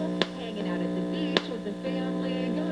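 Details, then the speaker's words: 1964 Star-Lite vacuum tube radio receiver, on FM after rewiring: a constant low mains hum buzz under faint station audio with a couple of clicks; part of the hum varies with volume, two hum sources suspected. "so but the hum is there i can actually hear it so i want to do something about it"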